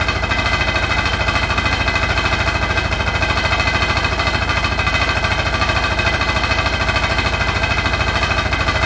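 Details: Hotpoint NSWR843C washing machine on final 1200rpm spin: a hard, rapid rattle of about three per second over the drum's roar, steady throughout; the cause of the loud rattle is unknown.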